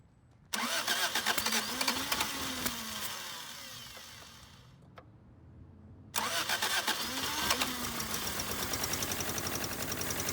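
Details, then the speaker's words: 1979 Honda Civic 1200 on its first start after sitting about 16 years. The engine catches, runs rough and uneven, fades, fires again and keeps sputtering. Ignition timing is way off and spark was lost at the end. "well i guess that was a successful first start sure sputtering and stuff"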